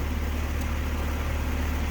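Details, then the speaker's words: Replaced HVAC compressor running, drawing about 10 A on common and 9.6 A on the run winding against a 19 A run-load rating, with suction line at 45°F and superheat 1.9: steady, even low hum with no knocks; normal running. "And for the compressor, it says run load amps is around 19. So that's well below run load amps, and that is a lot better than before."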